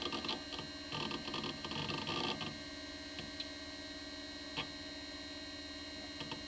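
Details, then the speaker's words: Amiga 2000 with GVP A2000-040 accelerator: chattering disk access, then faint irregular ticking on the right side over a steady hum; the hard drive is suspected of not being healthy, unconfirmed. "can you hear that funny ticking yeah right side oh yeah"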